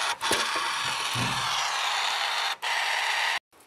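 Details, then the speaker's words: 2008 Toyota FJ Cruiser rear wiper motor, old unit: harsh, raspy grinding steady through each powered stretch, stopping when power is cut, echoing through the vehicle's metal; nothing visible inside, so it was replaced with a genuine Toyota motor. "And so it did not sound healthy, and I needed to replace"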